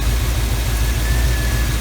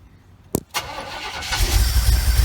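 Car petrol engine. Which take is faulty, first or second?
second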